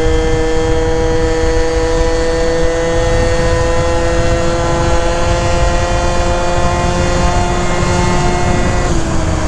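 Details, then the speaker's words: 70cc Yamaha Zuma prebug scooter (Minarelli) with a new Stage 6 Sport Pro variator and stiffer springs, riding in wind: engine tone holds nearly level as speed builds, dipping slightly at the end; variator opens slower, holding revs down; normal shifting. "definitely holding the RPMs down a little bit it's opening a lot slower you can hear how it's shifting"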